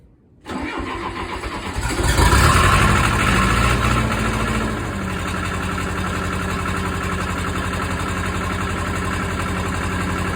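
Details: Case 450B dozer, 207 diesel, just after reinstalling rebuilt injection pump (removed because fuel was mixing into oil); short crank, fires near two seconds, settles into steady even idle running slightly high, needing adjustment.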